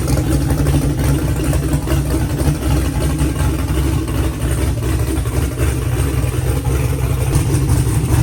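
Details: Car engine with an earlier valve train noise, first start after the fix: steady even low idle, smooth drone, no ticking from the top end; it sounds good.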